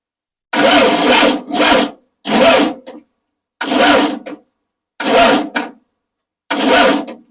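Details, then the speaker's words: Rebuilt engine at first start-up for break-in: short, sluggish cranking bursts that labour, though it turns normally by hand and battery charge is in question. Slow cranking; owner suspects a dragging starter and plans to have it tested. "I got to take the starter out and at least get it tested and eliminate that as the culprit something's really dragging on that start starter I'm hoping it's the starter itself"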